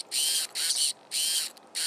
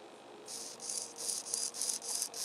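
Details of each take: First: Servo in a rebuilt RC plane: four short bursts of smooth, even electric whirring as it sweeps back and forth, no grinding; sounds normal. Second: RC plane rebuild, newly fitted elevator servo: short high-pitched rasping buzz bursts about three per second as it sweeps, a grinding sound unlike the normal-sounding rudder servo.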